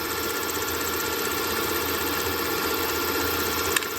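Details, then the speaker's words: CNC mill with a Big Daishowa speed increaser, 1/4-inch ball end mill in hardened 1095 steel, heavy cut at full speed. Harsh, high, steady ringing scream over the spindle: tool chatter. "I I was getting a lot of chatter I had it at full speed and I slowed it down to uh right now this is G 2250 RPMs"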